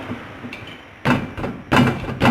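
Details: 1997 Fiat Palio 1.0 MPI, 280,000 km, wheel rocked by hand: three dull clunks about half a second apart; the mechanic traces the suspension noise to a worn ball joint and plans to replace both.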